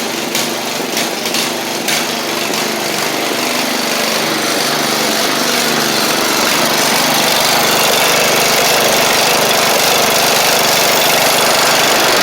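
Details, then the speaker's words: 7-year-old MTD Murray riding mower, 38-inch deck with new belt and blades, blades engaged: small single-cylinder engine holds steady speed under blade load with an even drone and smooth deck whir; ran a couple of minutes fine. "I mean I just ran it for a couple minutes there and everything seems all right so that's good"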